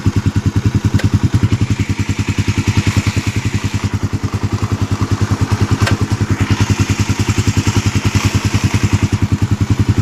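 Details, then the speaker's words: Rear brake on a Suzuki Raider 150 Fi motorcycle, wheel spinning after caliper pin and dust boot were lightly greased: small engine thumps evenly, no brake squeal or scraping; earlier noise began after a brake pad change. "So ayun na nga mga tol, wala ng ingay. Test drive na natin. Tingnan natin kung tumunog pa."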